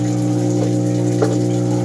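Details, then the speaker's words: Panasonic washing machine, not yet started: steady low hum of the drain motor running under inflowing water, so filling and draining happen together because of faulty control board triacs. "Sa drain na yan, drain motor, gumaganyan-ganyan. Isa din yung sa dahilan kung bakit nagkakaganon."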